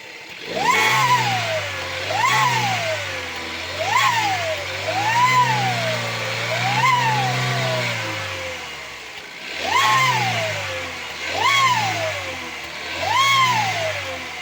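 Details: 1.4 TSI engine: with each throttle blip a high whistle climbs and falls with the revs; turbocharger whistle so bad the car is no longer drivable.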